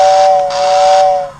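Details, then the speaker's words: 1949 Lionel steam locomotive tender whistle after restoration: clean two-note whistle with airy hiss lasting over a second then fading; works normally but currently needs about 17 volts, near full throttle. "The tender, though, the whistle is working good."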